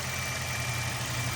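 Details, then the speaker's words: Toyota Corolla hybrid, 481,000 miles, 0W-16 oil, started cold after sitting 3 weeks in a garage at about 26° (19° outside); engine still warming up, even low hum with faint steady whine, no knocks or misses, no signs of failing; normal cold idle. "you have to to use the zero oils 06 and so she's holding up engine's still warming up so no signs"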